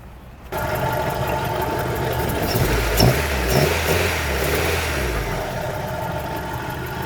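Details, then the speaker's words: 1998 Honda CR-V, 272,000 miles, head gasket and water pump previously replaced: catches then idles lumpy and uneven with stumbling beats and sagging revs, like running on three cylinders, wanting to die; check-engine light blinks; owner unsure, even wonders about a spun bearing. "it sounds like I don't know what's wrong with it I feel like it's just running on three Pistons or something but it's also the engine light blinks and it just it runs horrible"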